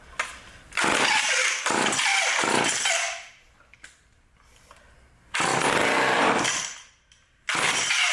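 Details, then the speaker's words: Old vintage Craftsman Power Sharp self-sharpening chainsaw, switch on, pulled repeatedly to draw fuel: raspy pull-cord bursts with silence between them, no firing; turns over but won't start. Mechanic hopes it doesn't have bad seals. "got the switch on it's not [Music] [Applause] starting see that'll help pull some of the fuel"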